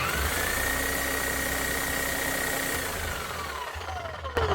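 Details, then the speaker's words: Bosch GSH11E demolition hammer, about 25 years old, after a full service (old grease cleaned out, new Bosch grease and service-kit O-rings on piston and striker): steady smooth motor whine with the hammer beat starting to engage, then spin-down; normal running. "sounds a hell of a lot better motor's running smooth again you can actually hear the hammer starting to kick in"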